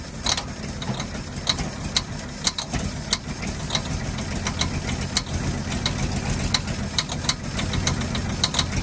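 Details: 1948 Ford F-5 ex-ice truck, first run after about 45 years sitting: sharp uneven pops about twice a second over a rough, lumpy low idle. Owner believes the number six lifter is sticking, not a rod knock.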